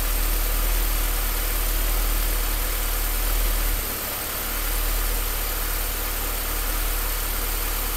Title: Rough Idle